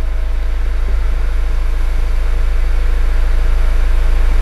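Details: Mazda CX-5 idling smoothly and evenly at about 200 pulses a minute with no misses or knocks. Its complaint is a fuel gauge reading empty and stalling, yet fuel pressure tracks desired with no trouble codes and about 8 litres in the tank; idle sounds normal.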